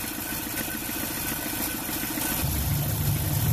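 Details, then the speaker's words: Cold 2005 Dodge Neon 2.0L with a bad head gasket, confirmed by a combustion leak tester turning its test fluid yellow-green: uneven, lumpy low thrum at idle, misfiring. "Ratchet's off, we're good to go. You can hear it misfiring."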